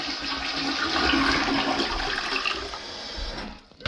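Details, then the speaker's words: Mansfield elongated toilet from 2001 being replaced: loud rushing, gurgling gravity flush for about three seconds tapering off as the bowl empties; normal flush. "the current toilet that we have this is what it sounds like when it's filling up and this is what it sounds like when it flushes"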